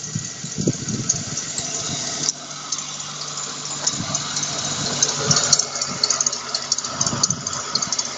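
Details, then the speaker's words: Engine idling with a high chirping squeak repeating about twice a second from the belt idler pulley (roller). "Сейчас заводим машину, смотрим, как будет скрипеть ролик."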